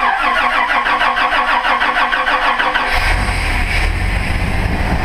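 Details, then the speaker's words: Toyota 2F engine converted to GM TBI fuel injection, bone-cold start: the starter churns steadily for three seconds, then the engine catches into a slightly rough but even cold idle. Normal cold start. "a little bit rough right now because like I said it's really bone cold"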